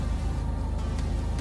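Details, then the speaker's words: Jeep Liberty KJ 3.7 after overheating, head gasket and timing chain repair with rebuilt heads, first start: starts right up, steady, even low thrum with regular beat, no knocks or ticks; idling smoothly. "oh there we go starts right up sounds really good man it sounds good it is"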